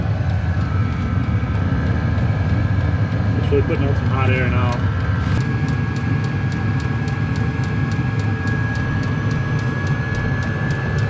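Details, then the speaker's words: Cheap Chinese diesel heater in a 2006 Nissan Frontier, before sound deadening: glow plug off, fan sped way up, deep loud steady blower roar "like a jet engine" with quick pump ticking, about 74 dB; loud fan noise. "all right so the bull plug shut off now fan speeding way up that's like a jet engine taken off it's noisy"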